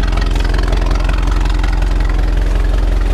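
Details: 1923 Ford Model T Touring four-cylinder after key set correctly and coil boxes working: slow even chuffing about three beats a second, no knocks; normal idle.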